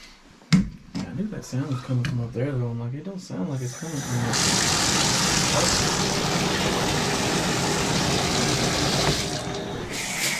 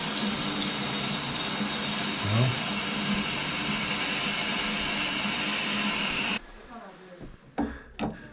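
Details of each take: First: Shower after fixing squeal by removing the rubber washer lodged in the shower arm: after handling noise, water rushes out in a steady, even spray with no squeal or sputter; flow normal. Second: Shower, mainly when using shower not tub: high hiss of running water with faint fluttering squeal and sputter, stopping when flow cuts; caused by the shower head's rubber washer pushed up into the shower arm, flapping in the flow.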